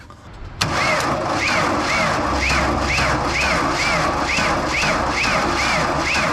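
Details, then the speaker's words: 1992 JLG 60H 4x4 boom lift with Ford LSG 423 gas engine, not starting; labored heavy cranking at about two strained turns a second without firing, start button seems to stick; slow cranking from a failing starter motor. "still definitely turning over hard I don't know let's just keep trying it though"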